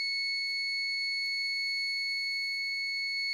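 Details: APC Back-UPS Pro 1500VA (BX1500M) sounding a steady continuous high-pitched alarm tone during a fault after a power outage; the unit was clicking, hot on top and smoking.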